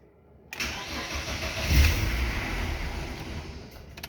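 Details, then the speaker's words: BMW E36 Compact 316i 1.9 at any engine temperature: it catches and flares up, then the revs sag and fade unevenly. It can't hold idle without throttle and misfires at low rpm as the pedal is released. "coche si lo enciendes no aguantas lentillas tienes que acelerar si lo aceleras el coche se aguante entendido"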